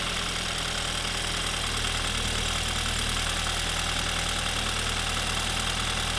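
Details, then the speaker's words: 2015 BMW 328i xDrive F30 with the N20 engine, idling after a spark plug change. Even, steady idle hum with no stumble or misfire, running on all cylinders: normal idle. "How about that? Sounds like she's running on all cylinders."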